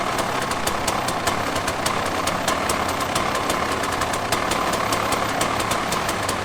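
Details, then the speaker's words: 2006 KTM 300 XCW two-stroke after cylinder re-plating and top-end rebuild, freshly started with choke on: crisp steady popping idle that holds even without hunting or dying; healthy idle. "now that's idling so it uh it has a choke on right now but it's still idling"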